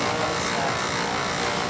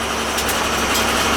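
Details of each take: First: Old boiler with circulator installed upside down: steady mechanical roar with thin high whine, Second: Old pancake boiler with a new oil burner motor fitted, whining thought to come from an upside-down circulator pump: short, steady rushing roar of fan and flame with no whine or squeal; burner running normally.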